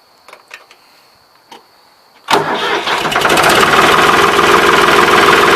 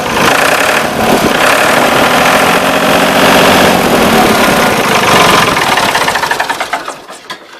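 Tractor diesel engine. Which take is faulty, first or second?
first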